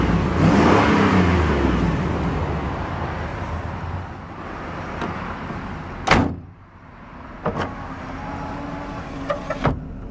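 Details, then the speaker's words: 1994 GMC Vandura G2500 conversion van: deep V8 rev swells and falls back smoothly with no knocks or misfires, then a few door clicks; healthy engine, normal revving. "So let's go ahead and see how she sounds. These engines sound fantastic."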